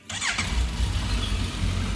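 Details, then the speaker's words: Suzuki Bandit 1250 S motorcycle with 7,686 miles: brief starter whirr, catches at once and holds a smooth steady idle, then a quick rev; healthy start. "Fire it up nice and smooth. Just give it a quick rev. Good stuff."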